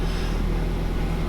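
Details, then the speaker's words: 2008 Ford Focus at idle after replacing motor mounts including the transmission mount; low, steady engine hum with no rattles or clunks, interior no longer rattling, now idling quietly and normally. "Oh yes, that is so much better. That sounds, the interior isn't rattling anymore."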